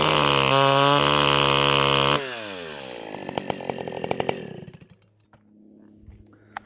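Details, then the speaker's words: Stihl 028 AVEQ chainsaw, high-speed screw turned out half to three-quarters of a turn: screams high, then breaks into an uneven popping four-stroking burble through most of the cut; the high-speed mixture is too rich. "okay so you heard it right there it stayed in that blurble four stroking kind of sound the hole pretty much the whole cut it kind of cleaned up a little bit as it was going through there but that is that's too rich"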